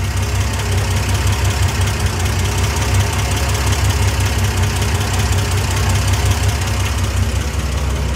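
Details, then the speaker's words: 1971 Triumph TR6 inline-six, revived after sitting 20 years, idling while warming up: light, uneven ticking over a steady low rumble, quieter than at first start. Owner suspects rockers loosened by a worn rocker shaft and possibly scored rockers; not confirmed. "It was much more ratty tatty. And again, my guess is that those those rockers um got loose because the the shaft that they were on wore so much that the rocker actually kind of probably lifted up a little bit."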